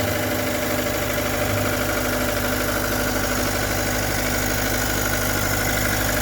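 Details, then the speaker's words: 2013 Vermeer SC602 stump grinder, rebuilt Cat 2.2 L 3024C diesel with rebuilt injection pump, 1,040 hours on meter, under an hour since rebuild: steady, even clatter at idle, unchanging beat, no knocks or misses; running healthy. "Super clean machine, really. Cat 2.2 liter 3024C, solid engine. You hear it when we fire it up, sounds good."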